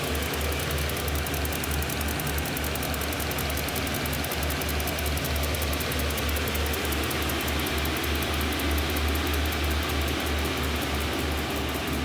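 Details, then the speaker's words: Shop heater built from three 5 kW Chinese diesel heaters on temporary setup: after lighting on the third attempt, a steady low combustion roar with an even pulsing rumble, no misfire or sputter; burning normally. "i just saw that one spit out something one on the bar and spit out something [Music] third time was a charm for this one"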